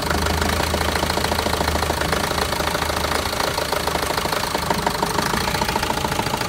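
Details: Renault Master diesel, fault code DF065 misfire: rough lumpy idle with uneven knocks about three a second; all four injectors and their connectors already replaced with new ones, no change, cause unknown.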